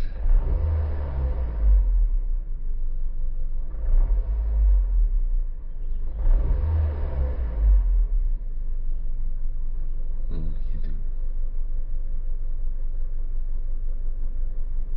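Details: Honda BR-V, non-turbo, with a static Jet Ranger turbo ventilator fitted in the intake: a deep smooth rumble swells cleanly with each throttle blip, then settles back to a steady 650–700 rpm idle. The engine sounds healthy.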